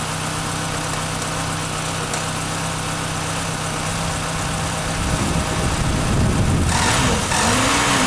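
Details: 1996 Chevrolet Cavalier 2.2 just after water pump replacement and coolant refill: starts and settles into a steady, even idle with a gentle rising whir and some hiss at the end, steam from spilled fluid; runs normally.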